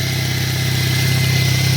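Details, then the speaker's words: 2008 Chevy Cobalt after timing chain, water pump and cracked exhaust manifold replacement, cured earlier crank-no-start from jumped timing: smooth steady idle, deep even pulse, no ticking, rattle or stumble; normal idle, no check engine light. "Burns like a kitten. So now we just got to let her run good long time."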